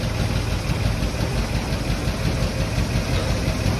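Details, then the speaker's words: 1951 Chevy straight-six, burned in a fire, run at home with no radiator fitted: even, low rumbling idle with a steady beat and no knocks or misses. Carb stopped leaking after it was tapped on the side. Normal idle. "So it's running awesome. The carb stopped leaking after I hit the side of it."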